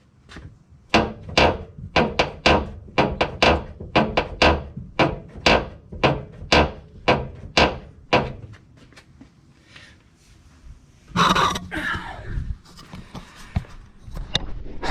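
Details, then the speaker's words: Cobra Daytona build, microphone under the passenger rear suspension while the chassis is pushed up and down: a rhythmic woody creak and clunk about once a second; play somewhere in the chassis or suspension assembly, cause not found. "okay so that was me pushing up pull it up and down on the chassis not the body so i know it's not a body issue um it's definitely something in the chassis assembly here has got some play in it"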